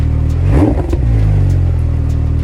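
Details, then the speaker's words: Porsche 997 after new lightened flywheel, upgraded clutch plate, new slave cylinder, new exhaust and cats: cold engine blipped once, revs climb quickly and drop cleanly to a deep even idle, no knocks; revs much more freely now. "It revs a lot more freely now. It sounded really nice when I started it up, but now that it's warmed up a bit, it sounds a bit..."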